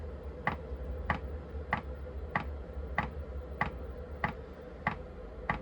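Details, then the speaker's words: Chinese diesel heater restarted after a simulated power cut, fan possibly in a cooling cycle as the pump starts; crisp even ticks about 1.5 per second over low fan rumble: normal dosing pump ticking. "Yeah, it's showing the fan going. So it might be going through a cooling cycle. There's the pump just started, as you can hear."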